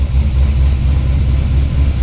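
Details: C6 Corvette Z06 with Akrapovic catback, cold start after sitting a few days, chilly morning: deep lumpy V8 idle with uneven wavering pulse, car shaking; owner suspects misfire, bad plug or wire.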